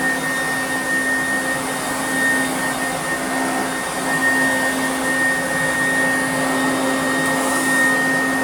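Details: 1991 Goblin Laser 2600 Plus vacuum cleaner after full restoration with a brand-new motor: steady, even motor drone with a clean high whistle and no rattles or pitch wobble; running normally.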